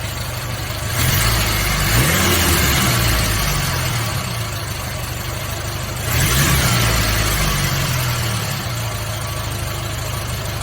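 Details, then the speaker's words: Engine idling after an exhaust leak was sealed: steady, even idle with two quick throttle blips, and the header is now audible with no puffing or ticking. Exhaust sounds sealed; normal idle. "I think you can almost hear the sound of the header now without that exhaust leak."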